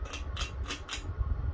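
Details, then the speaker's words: Ceiling fan running on high, rarely used on high: rhythmic dry crunch about four times a second from rough, noisy bearings that get louder as it runs. "but yeah it's a little loud on high because of the bearings bearings are kind of noisy as you can hear oh wow these bearings are just getting louder"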